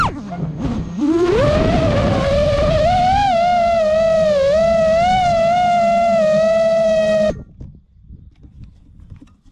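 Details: New-frame quad with new Xing 2207 2450kv motors, 5x4 V1S props, 4S 1500 battery, Bardwell F4 V1 FC, Spedix 30A BLHeli32 ESCs, Betaflight 4.1 with RPM filtering: a steady, slightly wavering motor whine over a fast regular wobble; motor oscillation of unknown cause.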